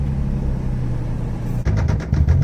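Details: 1989 Toyota Supra revived after 8 years abandoned, struggling to stay running on the drive home with a vacuum line missing: a rough, stumbling engine, then heavy deep knocks rising with revs, a bad rod knock.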